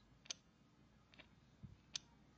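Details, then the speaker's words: Bench test of homemade TL494-based MSD ignition on 12 V battery, negative trigger, duty cycle set high: faint sharp snapping ticks over quiet hum as the spark plug fires multiple times; working. "So you can hear something firing, which is this spark plug. I don't know whether you can see the video, but it's actually firing multiple times."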